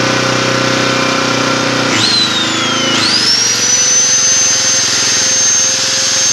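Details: Yasuka generator, long unused: loud steady engine drone, pitch sags briefly near two seconds then settles smoothly; normal running.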